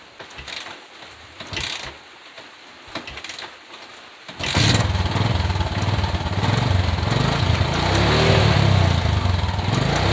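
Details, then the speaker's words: Motorcycle running evenly after fix: front sprocket ticking gone; lubricating the sprocket shaft did not help, so the front sprocket was flipped around, which stopped the noise. "mantap guys sudah enggak ada bunyi-bunyi lagi di bagian depan"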